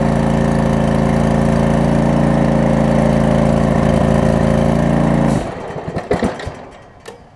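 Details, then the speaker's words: John Deere LX279 lawn tractor after new drive belt and primary and secondary deck belts and a rewired PTO switch: the engine runs steadily, then stalls and clatters to a stop when the blades engage under load; owner suspects stiffness from months unused. "currently it's too much load on the engine for it to uh to crank it over"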